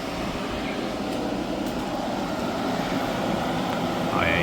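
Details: Hyundai portable AC after leak repair and recharge (it had gone warm after two weeks), with condensation building: steady, even whoosh of fan and compressor holding level, no knocking or rattling, the unit sounds healthy.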